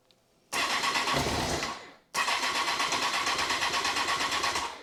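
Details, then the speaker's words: 2002 Honda CBR954 Fireblade, first start after a six-month rebuild and new gearbox: the engine fires and runs ragged for about 1.5 s, dies, then catches and stumbles unevenly. Owner suspects fuel or fuel pressure; some smoke from residual oil. "think it's fuel I think I mean I put quite a lot of fuel in there but it's fuel right let's get some more juice in it it started I'm well happy well happy with that"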